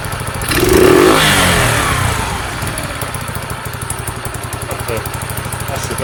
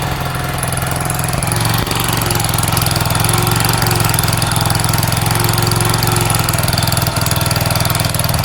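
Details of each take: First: Sinnis SC125 single-cylinder motorcycle, cold spring day, after idle screw adjustment: brief rev blip then steady, even putter at idle with no misses; runs the best it has. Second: Sinnis SC125 motorcycle on a cold spring day after sitting, choke off: small single runs at a steady fast idle that won't drop to a lazy tickover; idle speed set too high, adjusted with a screwdriver.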